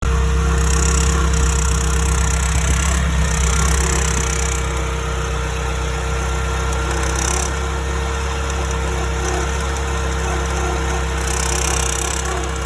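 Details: Porsche 931 (924 Turbo) at idle: a thin metallic rattle that comes and goes every few seconds, only when idling; steel-rod listening places it at the turbocharger housing or blow-off valve case, turbo not yet disassembled.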